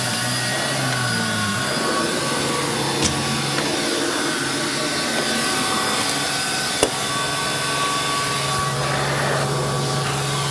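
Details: Electrolux 612E (600 series) upright vacuum with new Qualtex brushroll on deep hallway carpet: even steady motor roar with constant whirring brush, no knocks or rattles; running healthy, cleaned very well.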